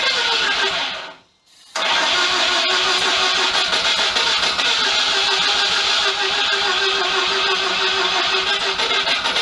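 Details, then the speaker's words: Mazda FC RX-7 project with timing adjusted, fed petrol with no injectors or fuel pump connected yet: fast, even starter churn at about three and a half beats a second with the odd weak kick, but it never catches; the owner plans to recheck the wiring. "kicks but uh yeah not quite enough to fire so i think instead of just being silly and cranking on it and cranking on it and killing starter motor i'll um go through my wiring again"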